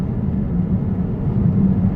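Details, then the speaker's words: Peugeot 508 2.2 HDI diesel under full throttle in third gear: deep drone with no turbo whistle, no power, underboost; variable geometry turbo vanes stuck in one position. "wow the tuberose activating was nothing moving inside the tuber so basically geometry inside the turbo is stuck in one position"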